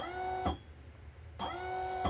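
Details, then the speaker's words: DIY 6DOF motion simulator control box first test, 24 V supply, motor drawing about 1 A / 24 W: two short runs of even electric motor whine, one direction slightly higher pitched, starting and stopping cleanly, normal motor run. "it's interesting that it sounds higher relating One Direction than the other probably not a significant difference"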